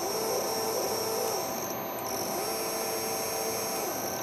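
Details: Repaired MaxNC CL CNC control board (bad MOSFET replaced), closed-loop quadrature stepper, probably on the X axis: clean steady mid-pitched whine that holds, drops and returns as the axis starts and stops, no grinding or stutter; running normally.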